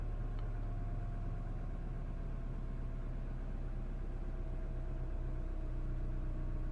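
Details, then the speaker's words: Mini One R56 with 1.4 engine swapped for a 1.6, previously underpowered and sometimes struggling to hold idle, cold start: low even idle that drops and holds revs steadily with no hunting; normal idle. "I can hear the engine absolutely perfect perfect nothing wrong with it"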